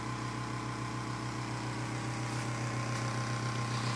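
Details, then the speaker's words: Galaxy (Lasko) 9-inch oscillating desk fan from around 1993 on high speed: a steady motor hum with a quick regular rattle of three or four per second from an out-of-balance blade. "as you can hear it rattles that's because the blade is kind of out of balance but despite the rattling noises it still blows a lot of air"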